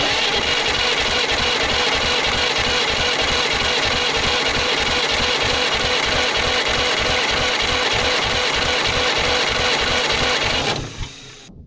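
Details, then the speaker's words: Pony starting engine of a 1940s Caterpillar D8 dozer unmoved for decades, cranked with ether: steady cranking about three turns a second for eleven seconds, never catching; no spark. "Well, I'm going to say there's no spark. I'm not surprised."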